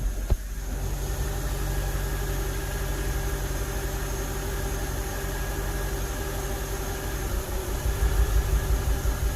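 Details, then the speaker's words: 2006 BMW 750Li, N62 engine, after valve cover, upper timing cover and alternator bracket gasket replacement; two codes stored, no engine light. Steady idle that briefly bogs and wavers like a misfire; rough idle with intermittent hesitation, cause unclear. "it's kind of like a the engine bogged a little and it had like this little to it"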